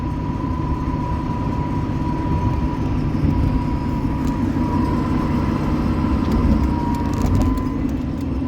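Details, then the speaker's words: Manual truck on the road in sixth gear: a thin steady whine holds one pitch, clearly not clutch noise. Sitting still it stays with the clutch pushed in but stops in any gear. Gearbox whine, cause unknown, gearbox to be pulled. "sixth has a pretty bad wine I don't know if you guys can hear it"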